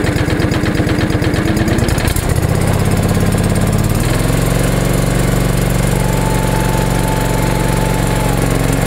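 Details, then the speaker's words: Restored John Deere 445 tractor, running perfect since the hose to the pump atop the fuel tank was replaced: engine idles smooth and steady, steps cleanly to higher speed and holds evenly, no knocks or hunting; well-running machine. "so I'm going to start it up for you guys so as you can tell it's a pretty well well running machine"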